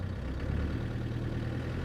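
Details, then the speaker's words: 1995 Land Rover Defender 130 300Tdi diesel with stock exhaust, throttle tip-in recorded inside the cab: low rumble rising as rpm climbs, no shakes, rattles or knocks, cabin stays quiet; normal throttle response. "you can hear the rpms climb but no shakes or rattles in the cabin and it still remains nice and quiet in the car"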